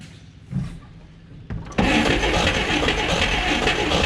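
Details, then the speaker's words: 1959 Apache original straight six, 1-barrel carb, after almost 40 years sitting; the starter is worn. Cranks, catches with a rush, then runs ragged and uneven, struggling to hold idle near stalling. Owner suspects the idle circuit. Rough running at idle. "Idle circuit must not be working very well. So close. So yeah, it does run."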